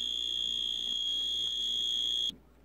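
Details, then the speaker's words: Dash egg cooker retested after glue-damping hack, cover not yet fully reassembled, water boiled off: steady high buzz just over two seconds then clean cutoff, much less noise; end-of-cycle buzzer at tolerable level. "perfect much less noise you can live with it now to me it's just perfect"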